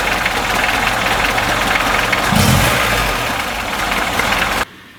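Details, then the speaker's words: VAZ-2106 with VAZ-21011 1300 cc engine, awaiting overhaul: idles unevenly with a loose irregular clacking over a hissy rough run; owner says compression is in the 9s on all cylinders, it smokes, burns oil, and one cylinder isn't working. "снаружи всё красиво но двигатель Сами вы слышали какой-то посторонний шум идёт что-то там клацает значит владелец сказал компрессия во всех дев дымит масло расходует и какой-то вот один из цилиндров не работает"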